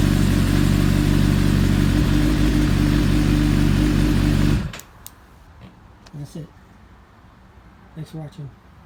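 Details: 2008 Suzuki GSX-R 750 after installing a Motion Pro Rev2 throttle: even, steady four-cylinder idle with no knocks or rattles for about four seconds, then a clean shutdown; runs healthy.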